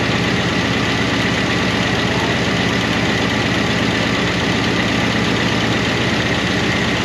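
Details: 1988 Monte Carlo SS small-block V8 run after sitting over 20 years, idling on a temporary fuel tank: a fast, light top-end ticking from noisy lifters/rocker arms. The owner hopes it will quiet down as it runs.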